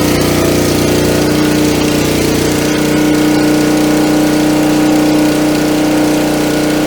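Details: Coleman Powermate 3750 generator, stored on non-ethanol gas, started on choke with fresh plug, clean air filter and full oil, no load yet: steady, unchanging hum with an even firing beat, no surging or hunting; normal running.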